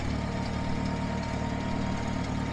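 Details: International 424 tractor, first start after rescue, temporary ignition wiring from coil hot side to 12 V battery: steady, even low idle with smooth unbroken beat, no knocks or misses; normal idle.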